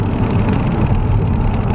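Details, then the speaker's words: Skoda Octavia vRS turbo under hard acceleration uphill after a hissing boost pipe leak was fixed: deep strong pull to 170 with boost restored and no hiss, no warning lights or limp mode; the earlier odd noise was a peeling window sticker. "we have boost we have more power than we did before um engine pulls great 170 perfect strong"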